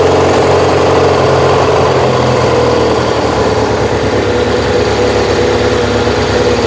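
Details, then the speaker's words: Yamaha XS1B twin during carb and ignition tuning, after choke and a bit of throttle: settles into a fast, steady idle with an even drone and no dip; idle sits well above normal, to be turned down before checking timing. "So what I'm going to do is just idle it down, and then we can see what the timing's doing."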